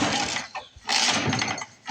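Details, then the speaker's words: Lawn-Boy Mag 21 mower abandoned about 15 years: spark confirmed and carb cleaner added, yet three quick recoil pulls give no pop; recoil gear skipping. Cranks but won't start; owner suspects insufficient compression. "I think we may not have enough compression to run. Oh, we have spark. We have fuel."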